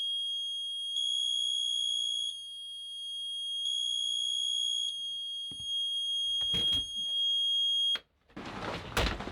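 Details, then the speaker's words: Boat's newly fitted Murphy mechanical gauges, alarm test with the engine off. High steady beeps, two long tones then continuous, as the oil pressure and temperature alarms both sound; low oil pressure always triggers with the engine stopped. "You'll just hear that both alarms go off. The low oil pressure alarm always goes off because the engine's not running, so the needle is always touching that contact."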